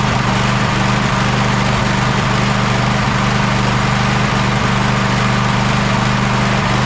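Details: Gravely ZTX 42-inch zero-turn mower at 160 hours, in for engine service, mulch kit recently added: engine drones at a fairly steady speed with uneven stumbles every second or so, still running rough after the fuel line was refitted.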